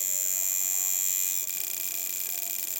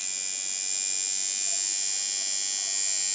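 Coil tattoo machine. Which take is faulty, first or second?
first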